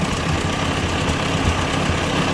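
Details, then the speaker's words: 1957 Ford 841 tractor with a Chinese replacement carburetor: steady low even firing with no misses or knocks; running pretty stable, owner wants about 2,000 RPM. "So anyway, got it running pretty stable right now."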